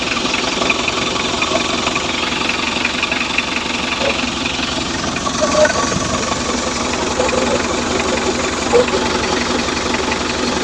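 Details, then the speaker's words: Mitsubishi L300 diesel with oil mixed into coolant, idling: harsh rapid clatter and rough puffing pulses, engine knocking with combustion blowing out; mechanic suspects a failed cylinder head gasket between the oil gallery and water passages. "Ayan, so paandarin natin. Talyado na yung makina. Ito putok na lumalabas dito na boss."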